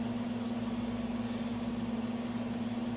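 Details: Repaired Sunbeam Carousel rotisserie, with its burned-out motor fixed, at the end of a 20-minute test run. An even low hum with a soft regular pulse about four times a second and no grinding; it turns normally and shuts off by itself.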